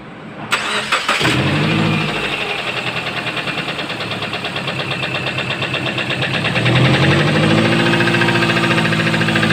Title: subaru Forester engine knocking...